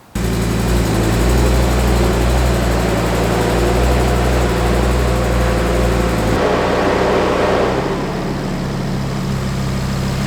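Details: Freshly installed Audi RS3 DAZA five-cylinder, first start on a temporary battery with coolant bleeding to follow. Catches instantly, holds a high warm-up idle with a smooth, even beat, then settles lower and steady. Normal idle after first start.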